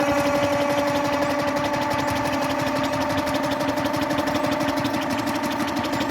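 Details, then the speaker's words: Onan generator unrun since the 1980s, cranked on the starter after two-stroke oil was added: a light, uneven cranking rhythm with a whirring tone and no firing. Owner suspects a hanging valve and may need to pull the head. No start. "no attempt so that means we got a valve hanging up more than likely we're gonna have to tear all that 10 work off again yay and take that head off see what's going on in here"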